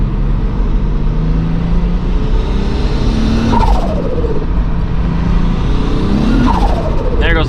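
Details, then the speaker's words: MK3 VW VR6 turbo wagon with a stock VR6 clutch unable to hold the power; cold engine, under boost near 12 psi revs flare in quick sweeps without matching pull, clutch slipping (2nd/3rd hold to ~3500 rpm, 4th no chance). "clutch if you drive it at like barely tapping boost it'll hold but the second it starts making like close to 12 pounds game over"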